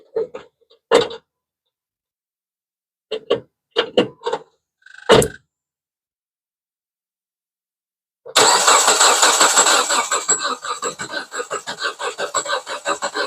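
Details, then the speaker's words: 2010 Jeep Patriot with electrical short blowing fuses, after replacing relay and fuses: starter cranks steady and quick for several seconds but engine never catches, crank no start; fuse blew again, cause of short not yet found. "Man, I thought that was gonna be it, y'all. Oof. We got a serious issue, you guys."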